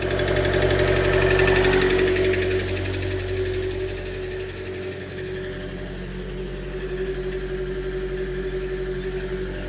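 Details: 2013 Chevy Volt range-extender engine with code P0101, lumpy uneven idle about four pulses a second with a shake; engine shuts down, power loss above 70 mph, poor mileage; MAF, plugs and coil pack replaced without change; rough misfire, cause unfound.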